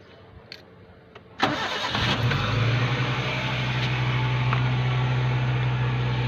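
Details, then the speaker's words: Suzuki Cultus 2012 EFI, first cold morning start after replacing the valve stem seals, which were suspected of causing a few seconds of white smoke on cold start: quick crank, clean catch, smooth even idle with no knocks or misses, and no smoke; issue solved. "इसका मतलब ये है कि अब हमने सुबह first time start किया है, काम कराने के बाद किसी किस्म का कोई धुआं वगैरह या कोई स्मोक नज़र नहीं आ रहा है हमें।"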